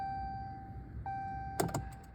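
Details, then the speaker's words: 2017 Dodge Ram 2500 Cummins 6.7 diesel during fuel filter change: key-on cycling after new filters installed; thin steady hum with quick clicks as lift pump primes and fills filters; normal fuel lift pump priming. "You do that by just turn the key, turns the pump on. fills them up, and then you could hear it clicking."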